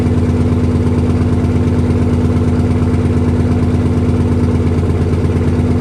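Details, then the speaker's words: 1968 Dodge C500 truck, first start after long storage inside a quonset hut, 55°F day; steady even idle, regular low beat around two per second, heavy smoke filling the building, oil pressure good, air building to 90 PSI; heavy smoke at idle. "Well, I'm happier in a tornado in a trailer park. God damn, she runs. It's getting a little thick in here, though."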